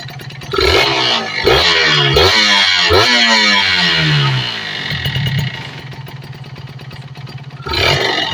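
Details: Kawasaki Ninja RR two-stroke after carburettor and reed membrane service and air-screw setting, with idle screw then turned down: crisp blips rise and fall cleanly, no bogging or misfire; mixture sounds properly set.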